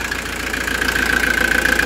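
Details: Camper van diesel after major service with oil filter change, restarted after longer preheat to purge air from fuel filter: steady even idle with regular fine clatter, no misses or surges; no leaks, sounds healthy.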